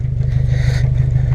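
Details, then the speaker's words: 1997 Honda Civic EX, D16Y8 VTEC, sat for a while: lumpy, uneven idle with a steady rhythmic stumble, running on three cylinders from a cylinder 2 misfire despite new plugs and cleaned distributor cap. "okay so I've been trying like hell to figure out why this is only running on three cylinders"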